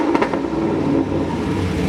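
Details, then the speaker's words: Cammed Camaro SS restarted after codes were reset, following a roadside stall with reduced engine power, StabiliTrak and check-engine lights and a fuel smell: engine catches and settles to a steady, deep, even idle with no misfire; owner suspects tune or injector failure. "a problem. Idling fine."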